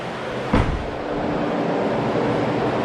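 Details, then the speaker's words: 2005 Chevy Corvette after cooling system refill and bleed and fixing a wiring and fan-setting fault; at operating temperature, engine switched off, radiator fans run on with steady even rush of air, then shut off as expected. "I wanted to show you turning off the car you guys could hear the fans run those will turn off in about 30 seconds"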